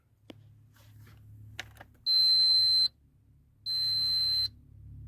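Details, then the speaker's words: SWS garage door controller, door stuck half open after stopping partway up: two long steady high-pitched fault beeps of just under a second each, about 1.5 seconds apart, signalling a fault. "Two long pulses. Try again upwards."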